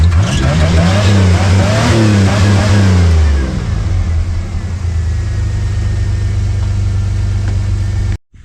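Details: 1979 Pontiac Firebird V6, revived after sitting for years: strong rising and falling revs with no stumble, then a steady, even idle; runs clean without skipping a beat.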